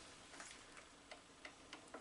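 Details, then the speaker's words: Atlas 7B shaper, restored cross feed mechanism: quiet, evenly spaced ratchet clicks once per stroke, ratcheting on the forward stroke and advancing on the backstroke; feed pawl indexing correctly in both directions. "ratcheting on the forward stroke advancing on the backstroke ratcheting on the forward stroke so that's correct that seems to be working in both directions"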